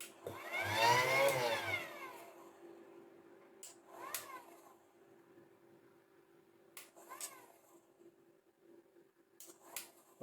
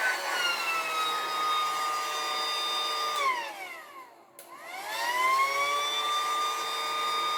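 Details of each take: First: I don't know, it's working now, mind. That sounds a bit noisy, I've got to be honest. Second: Battery-powered pool air pump that worked intermittently, switched on after cleaning and lubing; now starts straight away, steady motor whine dipping briefly then even; fault appears to be a connection issue.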